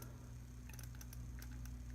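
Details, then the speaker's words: Failed SPST AC compressor relay from a 2005 Honda Accord, bench-tested with coil side at 122 ohms: faint, irregular clicks over a steady low hum as it energizes, but the contacts never close; likely mechanical failure. "I mean it's clicking back and forth but no contact"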